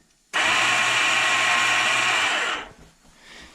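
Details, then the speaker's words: 1987 Big Bear 350 4x4 ATV starter pressed: high, steady electric whir for about two seconds with no engine catching, starter spinning but not engaging; failed starter one-way bearing. "all right if you listen here's the noise that I heard when the one-way bearing went out turned on hit the button you just hearing a spin but nothing engaging"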